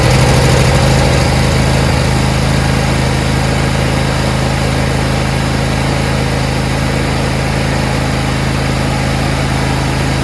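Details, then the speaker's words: Briggs Intek V-twin mower engine, running without covers or tins, checking sump gasket oil leak: smooth steady V-twin drone with no knocks or misses, engine sounds good; oil drips from what looks like a busted sump gasket. "Engine really sounds good."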